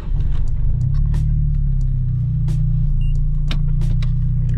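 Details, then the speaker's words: Nissan Silvia Spec-R S15, freshly lowered on coilovers with new wheels, front alignment off: heavy low rumble with irregular sharp scraping bursts as the front wheel rim grinds on the coilover while driving. "this is definitely grinding nasty on the coil"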